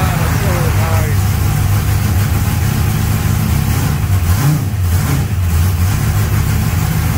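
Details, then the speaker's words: Freshly installed V8 in 1200hp NOS Mustang build, first start on jack stands: deep even rumble, steady firing, smooth rev blip, no knocks or misses; timing close, running a little rich. "oh it sounds great i know the timing's pretty close"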